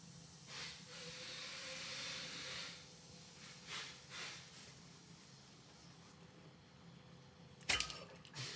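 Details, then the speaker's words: Mallard 2800 anesthesia system leak test, pressurized to about 60 cm water: soft airy hiss swells for a couple of seconds then fades as air escapes past a loosely seated test plug. Air leak at loose test plug. "I didn't have my plug-in strong enough to keep the air from pushing it out there so I could hear it you can hear I could hear it leaking"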